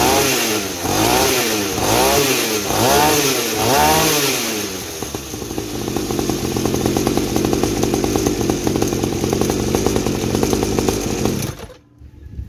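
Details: 50cc two-stroke mini trail bike after silencer modified with more holes and glass wool packing, exhaust about 50% quieter: quick throttle blips then steady fast idle, engine and chain clatter audible; normal running.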